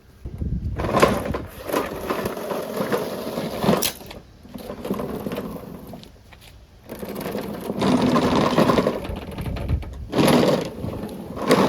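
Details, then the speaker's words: Newer Toro mower that would not start, with water found in the fuel: several rough cranking bursts sputter and die without catching, and the choke flap was possibly sticking. "Like the choke flap was sticking. Let's try that again."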